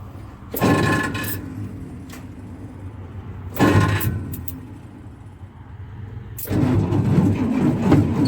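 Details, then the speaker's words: 1962 Dodge M37 that sat 40 years, test fire on an improvised IV fuel feed with a pump, plugs and wires not yet replaced: revs up in bursts, then a lumpy, uneven idle; owner feels it's missing on a couple of cylinders. Rough running. "Feel like it's missing on a couple [Music] cylinders. I still got plugs and wires to put on it, too."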